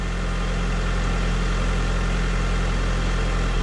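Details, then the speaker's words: 2003 Honda Civic LX first start after replacing the battery with a Group 51 unit: steady, even idle with no knocks or hunting; sounds healthy. "well the engine certainly sounds good here"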